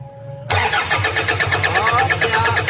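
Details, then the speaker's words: Toyota Fortuner cranks but won't start; starter churns about six even beats a second. Scan showed a fuel-related code; diesel spurts out when cranking, mechanic suspects a leaking fuel line or injector. Cause unconfirmed. "ganyan lang guys oh lakas talaga ng tasik ng kurodo may problema Siguro yung flu line at saka yung Kito sa may pinagkasalahan I"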